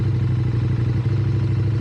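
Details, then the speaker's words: High-mileage KTM 790 Adventure, cold at about 40 degrees, with hard starting and stalling, Redex added: very slow, lumpy idle below 500 rpm with uneven thud and loose clatter; owner suspects one cylinder not firing, spark plug suspected fix. "Maybe I just think the first time it ever idle that low. Like below below a well 500 rpm. First time it ever done that."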